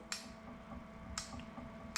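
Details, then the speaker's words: Commissioning a new inkjet printer before inking: testing the printhead solenoid valve inside the printhead via its button; three crisp single clicks about a second apart over a quiet hum, the valve switching cleanly and working normally. "and what I'm looking for when I press them I'm actually listening for a click of the solenoid clicking so if we do the flush you can hear that nice click"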